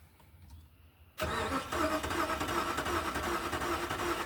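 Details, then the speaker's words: 2006 Dodge 1500 after battery replacement, cranking with injector pulse showing: engine churns steadily at cranking speed but never catches, after an earlier intake backfire and fuel smell; suspected no fuel, fuel pressure not measured, unconfirmed. "Sounds like we're not getting fuel."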